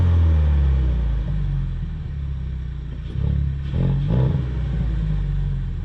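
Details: Ford Mustang EcoBoost after the factory spark plugs were refitted, held around 1,000 rpm: an even, low rumble with the misfire far less pronounced; cylinder one misfire counts dropped but are not fully gone.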